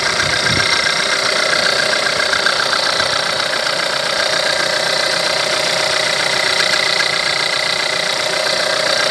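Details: 1.4 TSI petrol engine, over 170,000 km, timing chain recently changed, no oil consumption, idling with a steady light knock about two to three times a second.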